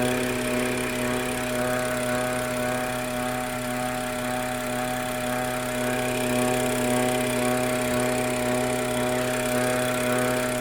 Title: F30 n55 MPPK whine noise